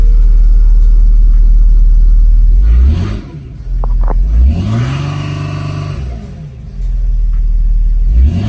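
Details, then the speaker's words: 2006 Mercedes CLK 320 3.0 V6 common-rail diesel (OM642), engine light, fault 2513-1 M55 inlet port shut-off motor position signal: revs climb quickly then cut at the same ceiling around 3000 rpm; limp mode rev limit. "Yeah, it's limited to 3000 revs. It's still, the engine light is not on, but I'm sure it will come back."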